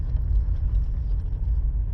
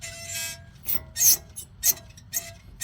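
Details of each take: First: Mom's car after replacing the front brake pads: low, steady road rumble while rolling slowly and turning right, and the squeak previously heard on right turns is gone. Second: Front wheel of a car spun slowly by hand with the tire off gives short bursts of high, scratchy squeal; the pads are worn rather low and the wear indicator is thought to rub the rotor; pads to be replaced.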